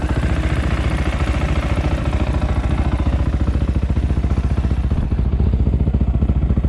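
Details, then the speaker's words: 2020 SSR Motorsports SR300 dirt bike with Lectron carburetor, idle set to about 3400 rpm while warming up: fast, very even idle, steady low pulse, no misses or knocks; normal idle. "so i have the idle set to about 3 400 rpm it sounds really good there it's very even as the bike warms up it actually starts to run even better too like most machines"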